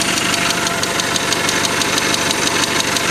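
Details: Mazda 626 FS engine, first startup after reinstalling IAC and throttle body, idle; steady sharp tick-knock about three times a second; later found 50% leakdown on cylinder 3 from bad exhaust valve, suspected valve knock.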